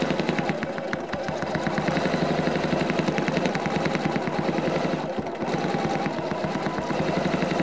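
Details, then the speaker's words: Fast, even needle chatter at a constant rate on a Janome CM17 with the Accurate Stitch Regulator in Cruise mode, needle continuing after fabric stops; normal running. "okay and now I've stopped moving the fabric but that needle still going up and down until I push the start stop button again"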